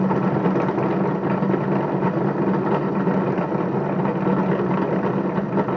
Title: Bedini Motor bad bearings